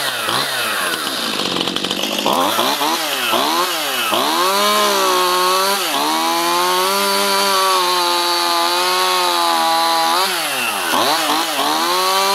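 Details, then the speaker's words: Stihl MS211 chainsaw (not old) that bogged despite a rebuilt carburetor, after fitting new carburetor #1139-120-0612: crisp, clean revs rising and falling sharply with the throttle, steady under load, no stumbling; normal running. "now I'm going to start it up and hopefully there's no other issues with this song"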